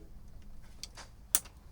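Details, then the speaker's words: Yanmar 4JH57 diesel with SD60 saildrive on a Leopard 48 catamaran, idling: single crisp click from the engine bay as the helm lever shifts, present on both sides, normal gear engagement. "And I can also hear a click down at the engine bay. Let's do this one again. Yeah. I can hear the same click"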